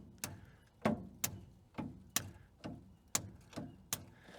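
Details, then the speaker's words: Old truck rescued from the scrap yard, long sitting, starter fed 24 volts from two 8D batteries after cleaning connections: sharp single clunks once or twice a second with no cranking spin; engine seems stuck from sitting. "I can hear the the starter is trying but it seems like the engine is stuck now just from sitting this long"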